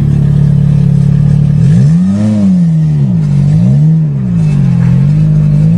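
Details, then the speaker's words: Repaired Nissan 200SX on a test drive after reconnecting the oxygen sensor left off during manifold work and adjusting the clutch; strong engine note climbing and falling smoothly with throttle, revving quicker with more power, no knocks or misses. "she revs quicker that's more stronger power Lisa sounds like it anyways"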